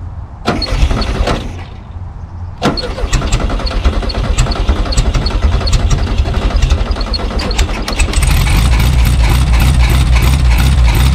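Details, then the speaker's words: 1974 VW Super Beetle sitting since 2002, carburetor cleaned, first start: starter cranks, catches briefly, cranks again, then fires and settles into a steady, fairly even idle. Owner hears slight ticking/knocking, unsure if normal; oil needs changing. "okay so it's running it's running decent"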